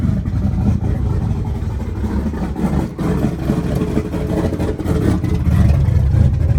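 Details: Small-block Ford turbo 383 V8 after new rocker arm install fixing a metal-on-metal tapping, timing not yet set, slight exhaust leaks: low throaty burble with light throttle blips and no tapping; valvetrain quiet and healthy.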